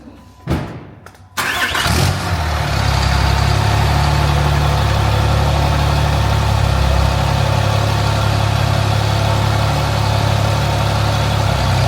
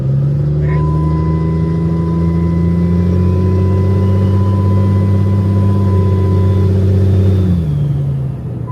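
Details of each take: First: 800HP compound-turbo shop truck after final turbo install, oil leak thought repaired, sound test: fires after short crank, settles into steady even idle with no hiss or whistle from a boost leak. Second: 800 hp compound-turbo diesel shop/service truck on the gas: steady diesel drone with loud hiss that fades as revs drop, plus a new vibration; boost leak.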